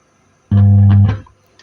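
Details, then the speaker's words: TOA public address mixer amplifier with an output transformer, speaker connected, also on AC: a loud steady low hum while the final transistors run very hot. "Nah maka akan seperti ini teman-teman dia berdengung ya nah ini kalau kita pindahkan ke AC dia berdengung seperti ini"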